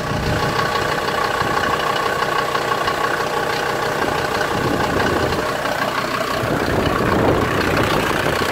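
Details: 1991 Ford Explorer turbo diesel, sat since July 2016, first start after fuel priming and battery charging: rough loose diesel clatter at low idle with uneven rhythm; normal cold idle just after catching.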